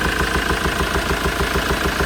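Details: Ford Transit 2.4 TDCi diesel at idle: sharp tick about six times a second tied to engine speed, failed hydraulic lifter; valve cover removal showed one lifter dislodged and another loose, scratching a camshaft lobe.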